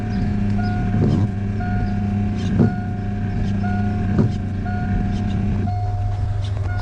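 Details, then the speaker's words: Truck idling with one spark plug missing, just after work on the belt squeak: a rhythmic squeal and thump about every second and a half as the wipers sweep; the wipers still work but are noisy, cause unknown. "I mean, they're still working. They just make a really weird noise."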